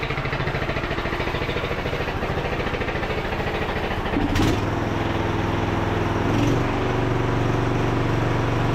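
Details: Craftsman T1000 MTD riding mower after repair: a steady single-cylinder thump at even speed with a loose, marble-like rattle. Loudness may be the muffler baffles; no leaks found. Improved running with residual rattle.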